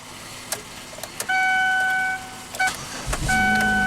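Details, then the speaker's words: 2008 Chevy Equinox after restoring communication (EBCM unplugged and bypassed) and replacing missing 15 A fuel pump fuse: chimes, short crank, catches and settles into steady even idle with no stumble; normal start. "So, restored communication, EBCM unplugged and bypassed. Then we had a missing fuel pump fuse. Wonder where that went. The thing runs. E6 sounds mean."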